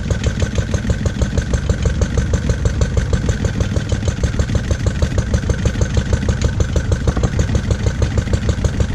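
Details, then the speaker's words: Lister D single-cylinder petrol engine, first start after 20+ years and restoration: fast, fairly steady single-cylinder thudding with slight surges, running jumpy; owner suspects timing adjustment and carb settings needed. "it's quite jumpy that probably requires a bit of timing adjustment and and play around with the carb settings and everything else"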